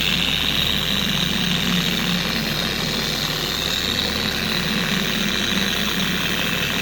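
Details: A steady, even hum with no scream or rocking. A four-year-old Carbon Collective DA polisher runs smoothly and normally after its gear head grease was replaced with red lithium grease.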